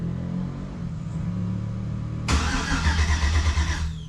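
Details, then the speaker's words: Yellow Jeep TJ with a swapped 5.3 engine on first fire-up: the fuel pump is heard running, then cuts off when start is pressed. It gives slow, uneven cranking and a brief rough catch that dies. Aux/power wiring is suspected: crank no start from fuel pump power loss. "Fuel pump's on. You guys might be able to hear that. Cranking. All right, fuel pump is off. Why is the fuel pump turning off when I hit the start button?"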